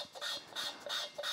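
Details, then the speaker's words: 1955 VW Beetle engine rebuild, hand-lapping a pitted inlet valve with grinding paste and a lapping stick: rhythmic gritty rasping, about three strokes a second, as the paste cuts into the seat. The valve ends up properly seated. "it's all about the sound you hear that that's it cutting into the seat"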